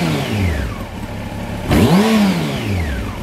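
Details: 1993 Honda CBR900RR, out of museum storage, aftermarket exhaust deeper and throatier than stock, dyno re-jetted: throaty note falls back from a rev, then a sharp blip climbs and drops cleanly to idle; healthy rev.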